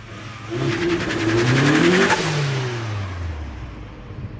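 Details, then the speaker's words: Turbocharged Mazda Miata just started cold after winter storage: engine blips up with rising then falling note and settles back to steady idle; normal idle and revving, sounds healthy. "and that wasn't a bad start considering it's at all winter so we'll let that start for a while"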